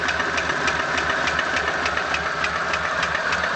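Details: ZMZ 406 engine at idle, knock located around cylinder 4: sharp, regular light tapping about three per second over steady idle; owner suspects the piston pin knocking in the cylinder 4 connecting rod, unconfirmed.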